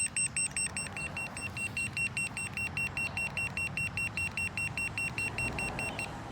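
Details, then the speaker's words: Boosted Board V2 electric skateboard with newly installed Shred lights, at about 23–24 mph: remote beeps steadily, about 2.5 per second, over faint rolling noise, power drops to eco mode and connection lost; motors and cables fine, cause unknown. "when we get about 2 23 24 miles per hour the remote starts beeping like crazy and we lose power it drops down to eco mode"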